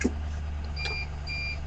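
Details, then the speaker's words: Backup alarm on a newly bought truck fitted with radio racks, a telescopic antenna mast and a 5 kW AC generator (title hints at police use): two steady high-pitched beeps about half a second apart over a low engine idle, working normally. "Yeah. It also does that little beep beep backing up thing. You can stop that with that."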